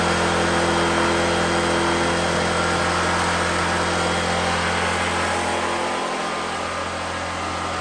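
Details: 2014 Black Max generator (97 hours, carb work after running issue), cold weather, running a grinder: smooth constant drone dipping slightly as load comes on then recovering; runs healthy and even.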